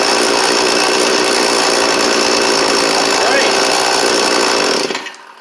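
High, even two-stroke buzz holds steady for about five seconds, then dies away; small engine running cleanly on choke.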